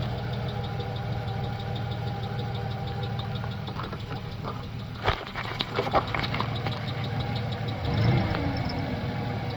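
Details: 1995+ Ford Ranger/Taurus 3.0 V6 at idle: faint repeating high chirp timed with the engine, not belt, tensioner or idler; worn cam synchronizer bushings letting the shaft wobble; fixed by replacing with OEM Motorcraft cam sync.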